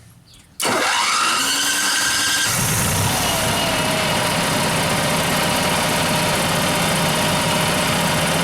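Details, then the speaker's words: Coronado motorhome generator after installing replacement eBay control board and reconnecting the starter solenoid left unhooked from bypass mode: short crank, catches cleanly, settles into steady even drone without stumbling; generator fixed. "Woohoo! All right. Generator's fixed."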